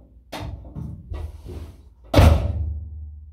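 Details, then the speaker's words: Mk1 Ford Cortina door without a bitumen deadening pad: two door shuts, each a solid thud then a hollow, lingering bing ring from the bare panel; a bitumen piece removes the resonance. "you can hear that resonance give me a minute there we go so [Music] so it's completely ruined that sort of bing resonance noise"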